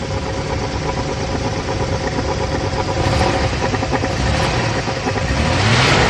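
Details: GM G-body Pontiac: uneven rapping knock following revs up and down; owner unsure whether misfire or spun bearings, cause not confirmed.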